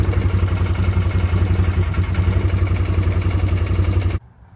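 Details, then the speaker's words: 2009 Arctic Cat 1000 ATV, hard weird starting: lumpy, uneven idle, sometimes running on one cylinder then both; owner suspects low battery voltage, weak starter or bad solenoid, spark plug boot wire showed weak spark. "All right, so you seen when I started it, it was kind of sporadic. you know, kind of sound like it was running on one cylinder sometimes and it'll kick you into both."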